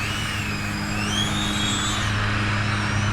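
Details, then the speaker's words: Geelang Anger 75X brushless whoop drone with four-bladed Gemfan props flown close on 4S: high whine rising and falling with throttle up to full, over background lawnmower drone; motors and tune sound normal. "here is with the prop sound like and these are the four bladed gym fans is about normal or what they should sound like the tune sounds okay"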